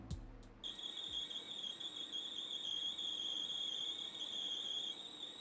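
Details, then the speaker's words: Cassette tape playing on a deck: thin, steady high-pitched squeal over faint hiss; a known bad-shell problem dragging the tape, fixable only by moving the tape to a new shell. "sim, esse é um problema bem conhecido ruim shell felizmente você pode mudar o shell se você salvar a fita mas caso contrário é inútil"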